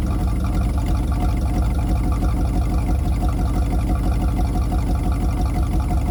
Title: 253 V8 Running With Vacuum Leak